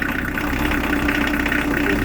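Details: Newly fitted Beta Marine narrowboat diesel just after its first ever start: even, steady clatter at a settled idle with no misses or surges; normal healthy tickover.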